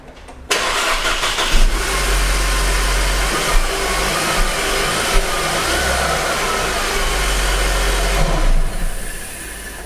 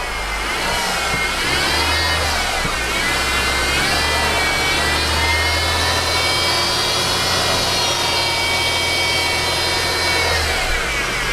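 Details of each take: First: 2013 Mercedes C250 (W204), after replacing the belt and the worn idler pulley at 65,000 miles: engine starts and settles into a steady even idle, with the earlier belt-drive whine completely gone. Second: 2013 Mercedes C250 (C-class), engine running with hood open: high dental-drill-like whine rising and falling with revs, from a worn idler pulley bearing, not the timing chain or cam gear.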